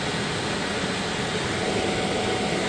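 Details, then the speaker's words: Chinese diesel air heater with modified burn chamber, straight exhaust pipe and no muffler, burning waste oil thinned with a third diesel, with a diesel-only cleaning cycle every 5 minutes; running 5 days straight. Steady, even roar and airy hiss, no chugging; smooth, normal combustion. "It seems to run excellent. The heat, like I say, this pipe been running for 5 days straight. If you listen, you can actually hear the burn is quite smooth."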